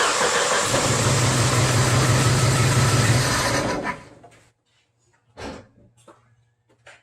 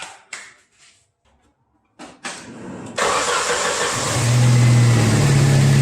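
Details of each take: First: Jeep Wrangler TPI engine, new but faulty spark plug, injectors unplugged one at a time: shakes and lopes unevenly about three beats a second, then dies, running on two cylinders; sputtering traced to one bad spark plug. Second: Jeep Wrangler YJ with TPI fuel injection, after a sputtering misfire traced to one bad spark plug, replaced and gapped: a few light clicks, then the engine catches and settles into a smooth, even idle.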